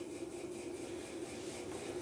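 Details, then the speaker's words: Electrolux LTE06 6 kg washing machine after repair of a terrible spin noise traced to a small dent in the pulley: spin now a steady, even hum with no knocking or scraping; normal spin. "entrou centrifugação o barulho tranquilinho não tá mais fazendo aquele barulho que tava fazendo antes"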